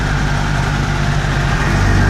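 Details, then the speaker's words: Rotax 503 two-stroke on an aircraft, cold start after a new 12-volt fuel pump and all-new fuel lines were fitted, pump switched off: deep, even idle with no sputter, about 1800 rpm. Expected near 2000 rpm when warm. "Nice and smooth idle, no sputtering, very smooth."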